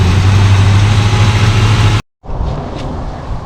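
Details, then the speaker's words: 1974 Plymouth Satellite Sebring Plus V8 off the road about 20 years, idling after revival, oil pressure gauge still not working: steady, even low rumble, smooth beat, no knocks or misses; normal idle. "oil pressure gauge still isn't working I'm not worried about it though sounds really good"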